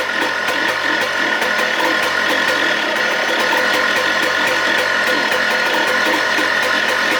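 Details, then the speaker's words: 2004 Yamaha Blaster two-stroke, freshly rebuilt engine just reinstalled, idle screw turned clockwise twice: rapid busy idle holding steady on its own but won't rev; owner unsure whether it needs warming up or the torque system is at fault. "i kind of just tightened it clockwise clockwise twice and it's idling on it by itself but it doesn't still doesn't want to rev"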